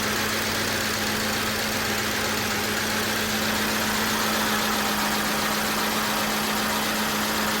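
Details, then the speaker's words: Audi D2 S8 V8, first start in about a year after a 2020 crash: loud idle with a constant high ring and fast scraping rush; owner feared internal damage. "why is that so loud okay serp belt is off let's see if it's internal and I'm screwed"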